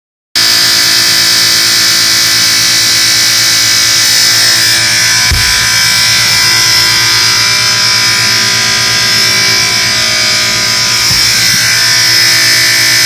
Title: Moffat dishwasher buzzing noise